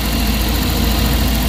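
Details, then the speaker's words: Suzuki DA64W turbo, after camshaft sensor replacement and reset, fixing a high, erratic idle: smooth, even, low rumble at a steady speed with no hunting, misses or tapping. Idle is now normal at about 1,300–1,400 rpm. "Tahimik na siya guys. Okay na yung tira natin."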